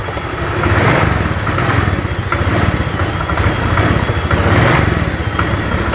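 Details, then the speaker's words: Honda Vario 125 scooter, fuel pump pressure 30 (normal 42), throttle blipped; revs sag and lag before rising, suspected sticky or clogged injector; throttle hesitation after stalling while riding, tank recently cleaned, fuel and spark plug replaced. "ini tuh suaranya berup seperti injektornya ini kelat ini ya"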